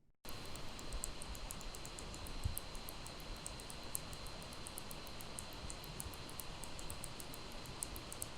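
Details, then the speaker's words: Gigabyte laptop under heavy load such as video rendering: a thin, steady high-pitched coil whine with scattered electrical crackling over fan hiss. It is heard about 1% of the time or less. "When this machine is being pushed, something like rendering video, from this area of the laptop, I hear substantial electrical noise."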